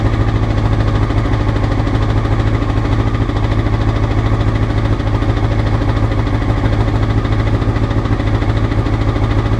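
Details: Honda CBR motorcycle, clip from before the float needles were changed: steady low thrum about three beats a second, slightly uneven pulse to pulse; rough idle, cause suspected, not confirmed.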